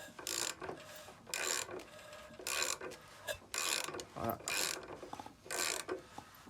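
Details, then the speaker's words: Rebuilt engine of a first-generation Fiat 126p, 40+ years old, turned by hand at the alternator after belt tension was set with shim spacers; a rhythmic scraping whoosh as the pistons move shows the belt grips and tension is correct. "Comme vous l'entendez, le déplacement des pistons se fait bien dans les cylindres, donc ma tension est bonne,"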